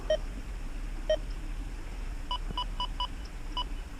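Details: XP Deus 2 metal detector standing directly under a power transformer for an EMI test, 95 sensitivity, speaker maxed, camera about eight inches from the remote: two single low beeps a second apart, then five higher beeps, normal menu tones while changing programs.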